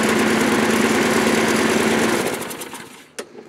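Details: Discarded lawn mower, thrown out apparently for a broken drive cable, running on fresh fuel: quick, even popping beat of a small single-cylinder engine at steady speed with no misses, then it winds down and stops; runs fine.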